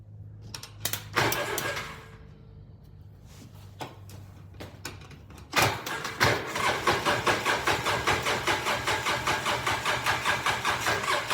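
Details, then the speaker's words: 2012 Polaris Ranger 800 XP, reportedly ran when parked: clicks then steady cranking about 2.5 beats a second that never catches; no spark at test plug, owner believes wiring harness is the problem. Crank, no start. "I'm trying to see that plug from here, but that's definitely no spark. Whatever's wrong here, that harness is definitely the problem."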